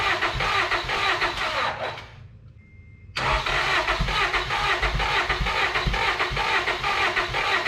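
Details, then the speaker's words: Honda Accord after new fuel tank, new pump and tune-up, ethanol gunk found in old tank: fast uneven cranking, briefly catches then dies, crank-no-start; owner suspects clogged injectors. "Come on! Just my luck. Can't be as simple as a fuel pump and a new tank. There's something else going on."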